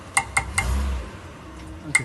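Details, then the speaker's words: Mitsubishi Pajero: sharp metallic clinks and a brief low thump when shifting into reverse or drive, a rear axle clunking complaint. "Okay, here's the sound which everyone is complaining while they put the car in reverse or D drive."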